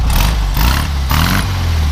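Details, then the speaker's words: 1965 Volkswagen Beetle, air-cooled flat-four updated to a 1500 engine, revved three times: each rev climbs cleanly and settles back to an even idle; sounds good, normal revving. "know it sounds good it's been updated with the 1500"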